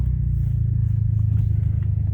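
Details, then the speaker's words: VW DSG7 DQ200 gearbox with a new clutch, after adaptation, on a test drive pulling away: steady low engine rumble with no judder, slip or clatter. The clutch engages very smoothly; normal clutch engagement. "and it's engaging very smoothly. I was worried about the calculations, that if I got them correctly."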